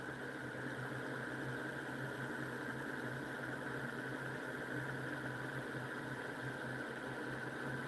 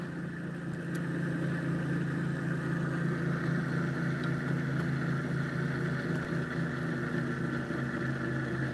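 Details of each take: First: Homemade pulse motor, nine-magnet electromagnetic rotor with coil, reed switch and transistor, spinning fast: steady electric hum and faint whirr, even and smooth, no knock; running healthy. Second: Homemade pulse motor with electromagnet rotor: steady low hum with faint pulse about four times a second continues with power switched off; short in circuit drawing about 100 milliamps, motor suspected fried.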